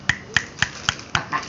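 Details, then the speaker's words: Honda Vario 125 scooter, engine opened up: sharp metallic clacks about four per second as the connecting rod is rocked by hand, showing big-end play; tensioner and CVT already new, rod to be replaced. Connecting rod play. "Ini bro, tangan piston Vario 125 nya bro. Bunyi. Bunyi ini bro. Ini ciri-cirinya"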